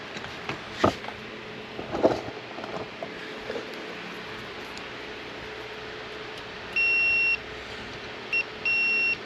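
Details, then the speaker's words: 1976 Corvette ammeter circuit, multimeter continuity alert after removing connectors: handling clicks, then steady high tone whenever probes touch; continuity, circuit good. "right, that's much better. So we knocked the dirt off of the contacts."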